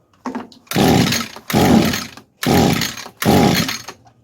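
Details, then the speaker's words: 22-year-old Echo two-stroke string trimmer, sat for years, choke on, primer bulb fuelled: four short bursts of rough revving each dying after a second; carb suspected of not delivering enough fuel, new carb likely needed. "Yeah, I think we're going to have to get a new carb for this thing. It tried, but"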